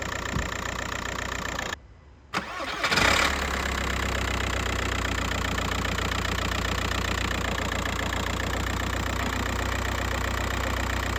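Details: MK4 Golf Variant TDI after replacing bouncing belt tensioner, belt, broken and worn engine mounts and dog bone mount: catches after brief crank, steady diesel idle with light clatter and no shaking.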